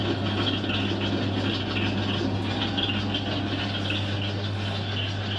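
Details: Dryer makes a steady low hum with a faint rattle repeating as the drum turns, like a drum rotation fault, caused by two seeds loose in the drum.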